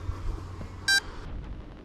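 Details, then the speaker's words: FMS 1300mm Carbon Cub RC plane (850KV motor, 40A ESC, 3S battery): with the bind key in the throttle port and the receiver flashing, a single short high beep is heard as the transmitter tries to bind. "I can hear that the transmitter is sort of beeping, trying to bind."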